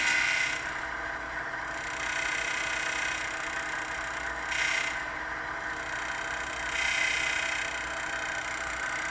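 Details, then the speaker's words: Twister T4 cannabis trimmer, stainless version, blades running after each side is adjusted with the clickers to set bed-knife contact: a steady whir with a faint even tick, the slight ticking recommended for proper blade contact. "you can go a little bit more contact than that you can also go less some facilities want no contact other facilities want a little bit tighter I recommend you just hear a slight ticking sound"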